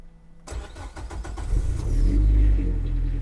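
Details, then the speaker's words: Nissan S13 on E85 at about -7°C outside, left 15–20 minutes in the shop: after adding much more cold-start fuel in the Link ECU, it catches on the second crank after brief cranking and revs to a steady, even idle with no misfire; normal cold start. "I then added a ton more fuel in the Link ECU for the cold start and it fired up on the second crank. So, it's fine. Let's fire it up."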